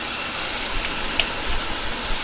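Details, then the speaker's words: 1969 Lincoln Continental idling after the alternator belts were tightened and the failed fan clutch was replaced (fan now spins much faster). Smooth, even hum with no grinding or rumbling from the front, so the suspect water pump bearing sounds okay; the owner now suspects a wheel bearing. "Really, that water pump bearing doesn't look too bad. Maybe I was worried about nothing. That sounds okay."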